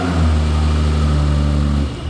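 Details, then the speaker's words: BMW E30 325i first run after work, no coolant, front parts off, spewing transmission fluid: catches and revs up crisp and even, holds a strong steady note, drops back smoothly with no knocks or misses; sounds healthy. "that sounds so good oh my gosh that's crazy"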